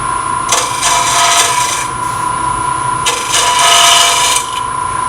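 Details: Lathe turning an open segment vessel at relatively fast speed, tailstock out, very light cuts with a smaller gouge; reaching the bloodwood layer below oak, steady scraping cut with fast uneven rattle (3–4 per second) as segments bounce – gouge chatter.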